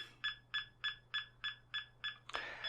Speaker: And what I'm looking for all the time is that the signal increases. And as it, like for example, when we go through the nulls, you'll hear it go down.